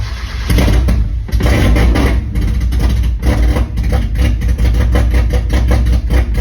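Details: 1.6 Miata engine on Link ECU, first startup after motor install, timing reset with new crank angle sensor, fuel pump regulator fitted, started on another battery: engine catches and settles into an uneven but steady idle with low throbbing beat; normal start and idle.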